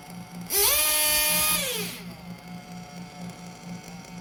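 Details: 1/8 RC nitro engine during carburetor tuning, after leaning the low-speed needle and reducing the idle gap: a shrill scream climbs fast, holds about a second, then sags back to a burbling idle. It is not quite revving up, as the high-speed mixture is too rich.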